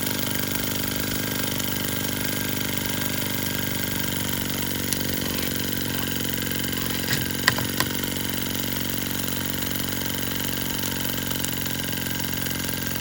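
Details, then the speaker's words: Sterlingkit model live steam engine and boiler kit, freshly assembled and lubricated, small seep at the pressure gauge: even, steady chuff with a constant hiss, no knocks or surges; normal running. "This thing is running really nicely and everything seemed to be going perfectly."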